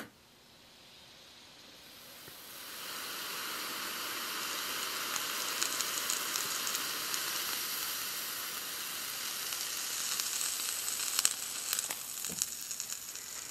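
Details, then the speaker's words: Fusible link rated 100 A driven to failure at 150 A: quiet start, then building sizzling hiss crackling and popping as the link glows red hot and melts under overcurrent. "all right I think you can see what's happening here we got 150 amps and we're taking this fusible link to failure here we go"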